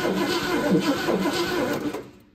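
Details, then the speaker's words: 1966 Ford Mustang GT convertible stored untouched over 10 years, Pertronix distributor: starter cranks about two seconds with no firing; spark confirmed, no fuel pump sound, no fuel reaching the engine. "so we do have spark if we had any fuel the engine would probably run"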